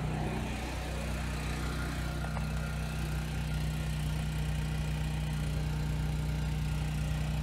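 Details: 7-year-old Husky generator, Subaru EX30 engine, after carburetor rebuild and pilot jet drilling for no-load surging: even, unwavering drone with no hunting or surging under two 1500 W loads; runs smooth.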